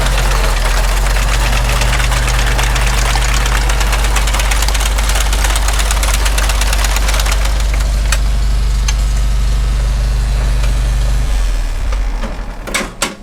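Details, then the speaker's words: Farmall Super M tractor driving retrofitted IH sickle mower on original belt: deep steady chugging under even load with regular sickle clatter, then clean shutdown; running normally. "Sounds like it'll work. Well, nothing's blown up, so let's head out to the field, give it a test."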